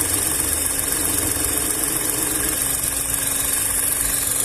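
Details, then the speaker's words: VW up! TSI, heater core hoses bypassed, warm idle with coolant around 97–98°C (dash shows 90): smooth idle with low, steady radiator fan whoosh, no knocking or ticking; no leaks, normal. "vou esperar ligar a ventoinha aí eu te dou já mostro para vocês ó pessoal Demorou mas ligou bem devagarinho tá vendo"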